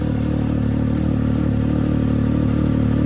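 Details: Can-Am X3 with newly installed FP Green turbo, running again after five months down: steady, crisp engine note with an even pulse and no knocks or rattles. Running cleanly and healthy.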